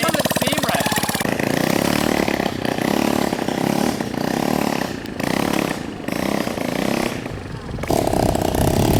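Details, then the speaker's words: 1970s motorcycle found in the woods, with a replacement engine, first running just after spark was obtained: small single pops fast and even, then uneven surges and sags; rough running, cause unknown. "okay yeah there's definitely something wrong with it"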